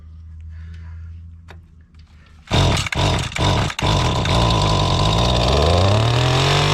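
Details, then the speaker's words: Mantis tiller small two-stroke, bought at an estate sale, after the high-speed (H) carburetor screw was turned counterclockwise to add fuel. It fires after a few pulls, then picks up cleanly and climbs in pitch, pulling stronger; it still needs fine adjustment. "See what you get when you crank the high-speed screw out some. It'll take some fooling with."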